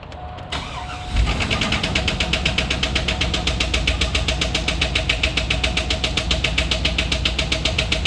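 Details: Truck cranks, catches and idles with a steady light tick about four times a second over the exhaust; owner suspects it comes from the catalytic converter, cause unconfirmed.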